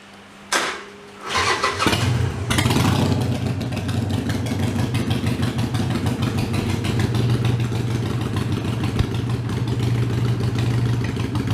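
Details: Harley-Davidson Iron 883 before booster setting (to reduce running heat and vibration): starter cranks, engine catches with a blip, then settles into a lumpy, uneven V-twin idle; no clear fault stands out.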